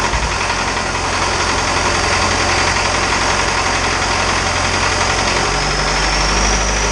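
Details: Isuzu 4BD2T diesel on initial startup after priming the air out of the fuel: it settles into a steady, even idle clatter with no misses or stumbles. Oil leaks were found afterward from the wrong-size crush washers.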